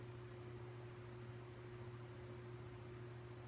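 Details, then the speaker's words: Supreme Mark III Emperor ceiling fan, almost 40 years old and run for the first time since 1983: quiet steady low hum with a faint higher buzz, suspected fan-motor hum. "here's the light all right here's well it does have a little bit of a hum to it"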